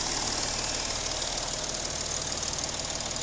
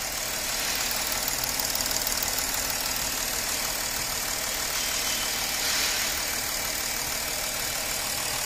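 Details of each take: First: Porsche Cayenne 3.0L TDI V6 diesel idling with harsh, uneven clatter; engine misfiring as three injectors on one bank return not a drop of fuel, dead and needing service. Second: Porsche Cayenne 3.0L TDI diesel after the three injectors on one side were serviced for misfiring, knocking and vibration: now idles steadily with a smooth, even hiss, no knocking or uneven shake; injector return flow restored.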